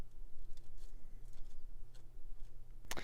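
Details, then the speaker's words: Bachmann model steam locomotive from an eBay lot, likely years unused: low motor hum that keeps dropping and returning with light wheel ticking as it strains and slips, missing many traction tires. "it's trying to run but uh it's missing a whole bunch of Traction tires"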